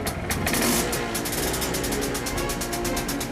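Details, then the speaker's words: Restored MZ two-stroke motorcycle on its first start after reconnecting the battery and checking the choke: quick, popping tick-over, slightly lumpy but steady and clean; expected to even out after a good run up the road. "Sounds well to me when that's had a good run up the road and cleared tick overall just even out that little bit more than it is now and that'll be spot on."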